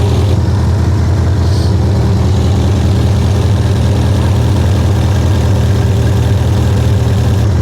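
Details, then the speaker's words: 1976 Triumph Spitfire 1500 just revived after years dormant: steady, even low thrum at about two and a half beats a second without stumbling; running steadily better with oil circulating; carburetor still needs adjusting. "sounds like it's steadily starting to run better"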